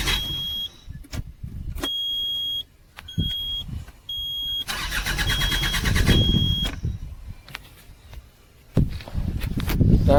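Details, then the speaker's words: Bobcat diesel loader that died while working, crank no start: starter cranks in repeated long bursts, engine never catches; diesel fuel pump gets no current, no fuel delivered, due to a blown fuel pump fuse. "Self मार इसका pump का switch काम नहीं कर रहा लगता है देखना पड़ेगा य डीजल नहीं पास कर रहा है इसलिए स्टार्ट नहीं हो रहा है लंबा सेल्प ले रहा है"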